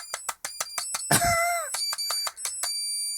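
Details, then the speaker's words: Cheap electronic burglar alarm kit with an inductor-based oscillator: rapid, repeated high-pitched chirps with a steady, piercing tone between them; not very loud but oscillating normally. "it's not very loud I don't think a burglar's really going to be uh particularly bothered by that but it is oscillating"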